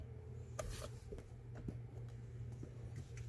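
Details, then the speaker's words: Acura Integra GSR rear defogger, controlled via integrated control unit, relay switching after diagnosis; sharp single clicks at start and end over quiet cabin hum, grid indicator lights, relay working normally. "let's check the relay I could hear the relayed now"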